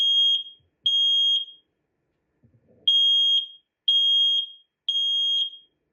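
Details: Standard 10-year ionization smoke alarm under test: loud shrill high beeps in groups of three, about half a second each, with pauses between groups; sounds properly.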